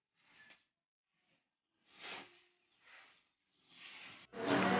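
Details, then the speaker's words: HP Ink Advantage 3835 printer that works normally but is loud: separate swishing, rasping bursts as the carriage travels, getting louder toward the end, from a slack, slipping carriage belt. "ครับก็จากที่ดูอาการกันไปนะครับผมไอ้ตัวนี้นะครับอาการที่มันมีเสียงดังเนี่ยถ้าเกิดจากสายพานเครื่องนะครับ"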